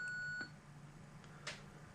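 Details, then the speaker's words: Orel BK-08 Spectrum-clone computer running the Sinclair test program's sound test: clean, steady high beep under half a second followed by faint blips; beeper sound output works. "yes I did hear the tone I don't want to hear it again"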